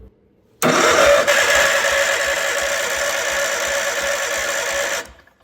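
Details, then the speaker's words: Wheel Horse C-120 garden tractor, first crank with a worn key barrel and the clutch pedal pressed. Steady, even, brisk cranking for about four seconds, strong and unlaboured; healthy starter cranking. "So I assume we have to put our foot on the clutch as such, and we'll see if we have any power."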